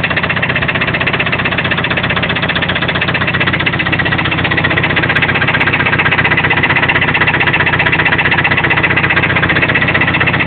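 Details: Toyota 22RE engine with sharp, very regular knocking at about four per second over a steady idle. Owner is unsure whether it comes from the rocker assembly or deeper in the block.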